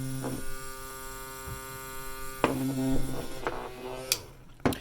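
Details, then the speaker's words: Frabill minnow bucket air bubbler powered at 5 V from a USB battery bank: steady buzzing hum with even overtones, pump vibrating noisily; 3.7 V lithium batteries planned to make it quieter. "Now, a lot of that is having to do with the vibration, but it's because it's running at 5 volts coming off of this USB charger."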